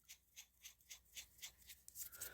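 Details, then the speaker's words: Rampage NT differential pinion bearing that was seized, apparently pinched by a factory press-fit, then freed up. Spun by hand, it gives a gritty, uneven rasp pulsing about four times a second instead of a smooth spin. Rough, damaged bearing. "it looks like they pinched the bearing but the bearing was seized anyways but I got it to free up can you hear it it's not exactly"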